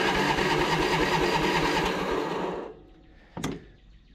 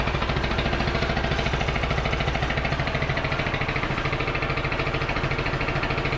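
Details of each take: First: Craftsman T1000 MTD riding mower, single-cylinder: loud rough beat about three firings a second with pops, sputters and backfires on throttle-down; owner suspects valve adjustment or dirty carb, possibly muffler. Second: Craftsman T1000 MTD riding mower, after servicing: steady even idle with loose marble-like rattle over every beat, loud muffler, little backfires when throttling down; running but mechanically noisy.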